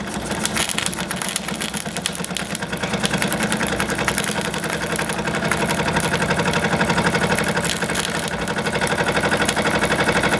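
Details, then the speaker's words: Jensen 76 model steam engine on dry fuel after rebuild, water preheated. Quick, even puffing at about four beats a second with no escaping-steam hiss; no leaks under pressure and heat; running cleanly. "And that's how you repair a steam engine. Still got nothing leaking out. And it's under pressure and heat."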